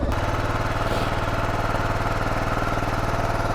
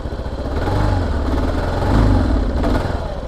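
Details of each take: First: Kawasaki KLR 650 single-cylinder, first ride of the season, cold on choke during warm-up: steady, fast thump held well above normal idle, somewhat uneven; high idle from choke, but revs intermittent, so a problem is still suspected. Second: Kawasaki KLR 650 single-cylinder, choked then warmed up, first ride of season: revs swell and sag unevenly with rough pulsing note instead of climbing cleanly; owner thinks a problem remains, cause unconfirmed, possibly fuel delivery.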